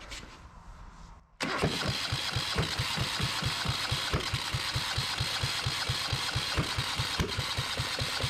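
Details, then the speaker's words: Yanmar 1GM single-cylinder marine diesel in a shop, while the fuel system is being bled: after a quiet start, a slow, uneven run of heavy thumps at about two per second that keeps chuffing but won't settle into a run. Hard starting; cause not confirmed. "doesn't really want to go does it"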